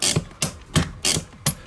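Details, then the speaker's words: Renault Clio 2 after replacing rear drum brake shoes and wheel cylinders, handbrake applied several times so the automatic adjusters set: five crisp ratcheting clicks about every third of a second; normal handbrake ratchet clicks. "Je fais fonctionner plusieurs fois le frein à main histoire que le système se mette en"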